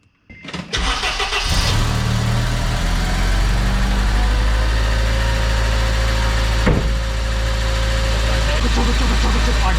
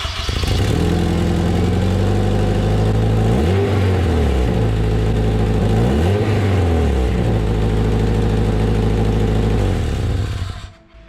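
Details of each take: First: Car after fixing headers and deleting flex pipe: brief crank, clean catch, steady even idle with no ticking or exhaust puffing, all exhaust now out the back; normal start and idle. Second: 2005 Acura RSX Type-S K-series with DC Sports header, before flex-pipe delete: loud rough exhaust drone rising and falling twice with revs, raspy edge from leaking header flex pipe, a known weakness of these headers.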